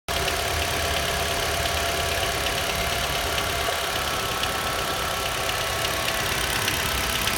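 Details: Nissan Juke HR16DE 1.6 at fast idle: faint regular light tapping over steady hum, knock heard at 1000–1200 rpm warming and hot, absent at 800 and 1500; dealer says injectors, owner doubts; cause unconfirmed.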